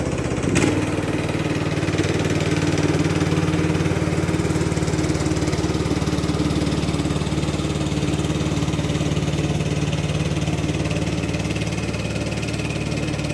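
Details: Free Craftsman LT2000 lawn tractor, parked about 6-8 years, after cleaning solenoid and ignition switch connections: engine catches then settles into an even, steady idle thump with no misses or knocks; normal idle.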